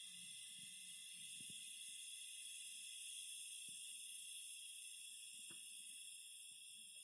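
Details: Phoenix Contact QUINT-PS/1AC/12DC/15 switching power supply gives a strong, steady high-pitched hiss with a few whistling tones. It persists with a load on the output, and all four units show the same problem.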